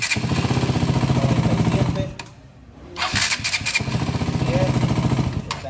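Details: KTM Duke 200 that cranked but wouldn't start, after fitting another starter in place of the generic one: quick regular cranking pulses, short pause, cranking again without grinding, current now in range; normal cranking.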